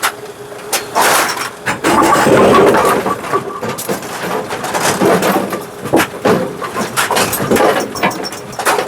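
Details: Brunswick GSX pinsetter after its stroke limiter shock absorber and worn bushings were replaced: irregular mechanical clatter and knocks through the cycle, with no harsh banging at the table stroke; it sounds healthy.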